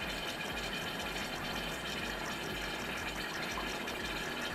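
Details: DeLonghi PrimaDonna Elite Experience after repair, hot chocolate cycle near completion: soft, even hiss of heating liquid over a faint steady stirrer whir, no catches or rattles; chocolate function healthy.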